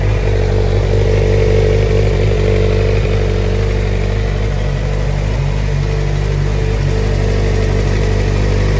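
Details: Stolen, recovered and fully rebuilt Suzuki GSX-R 600 inline-four after first start: loud even four-cylinder drone holding steady with slight rise in revs, no knocks or rattles; normal running.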